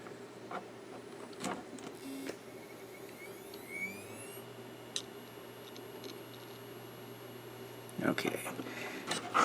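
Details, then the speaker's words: Seagate Barracuda 80GB IDE hard drive from an eBay lot: faint hum with a thin whine rising then settling as it spins up, then a few soft seek ticks. It self-tested fine, a normal healthy spin-up and seek. "have that powered up and self tested just fine."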